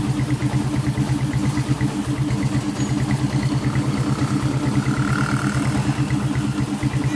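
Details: 1996 Honda GL Max after engine rebuild fixing smoke from worn piston and rings, new larger GL Pro New Tech piston fitted: steady, even low putter from the small single, no knocks or rattles; normal running.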